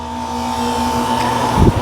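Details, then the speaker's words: Lennox AC outdoor unit, condenser fan motor rated 825 rpm, 1/6 hp: steady motor hum with a faint constant whine; bad bearings, lubrication didn't help, so the motor is being replaced. "i got a unit back here that the customer said that making a loud noise the condenser fan motor so it has bad bearings in it i tried to put some lubricant on there but i'll have to change it up"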